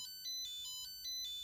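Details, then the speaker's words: Nickel strip spot welder, freshly restarted, gives rapid repeating high-pitched error beeps. Its battery reads 2.7 V rather than 3.3 V, so the owner suspects it enters an error state wanting a charge. "So it probably does this because the battery is definitely not a 3.3, it's a 2.7. So maybe it just goes into this error state where it really wants to be charged."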